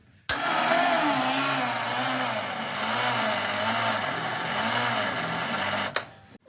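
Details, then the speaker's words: 1961 Triumph TR3A barn find, off the road since 1985, after a new high-torque starter was fitted: the starter whirs while the engine turns over slowly, about once a second, without catching; cranking speed is too low; slow cranking. "I'd like it to spin a little faster. That's not real fast."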